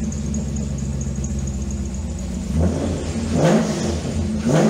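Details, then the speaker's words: Early 2005 C6 Corvette LS2 V8 after clearing codes and reseating a not-fully-plugged ignition coil, with earlier knocking/lifter noise complaint: steady even idle and three clean throttle blips; runs much better. "definitely runs a hell of a lot better now."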